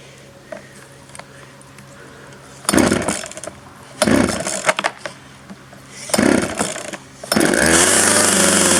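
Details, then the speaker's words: 1997 Poulan 2150 two-stroke chainsaw, about 23 years old, just cold-started with choke then choke in: quiet idle broken by three sharp throttle bursts, then a steady clean high buzz; running normally. "all right on choke out oh that sounds better"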